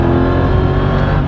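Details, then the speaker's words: Mercedes E55 AMG wagon, body panels off, with new heat exchanger, coolant pump and custom intake, full-throttle 0-60 launch with wheelspin; deep steady roar pulling cleanly, no misses, blower whine more noticeable; normal supercharger whine under load. "the blower whine is way more noticeable now oh my gosh that is crazy"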